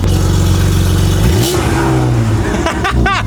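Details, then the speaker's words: 1997 BMW E36, former drift car, starting after ignition trouble: engine idles and revs rough with a coarse, uneven, diesel-truck-like clatter instead of a smooth hum; clutch also chattering; cause not yet known. "Okay. She started but she sound rough. She sound like a [ __ ] diesel truck."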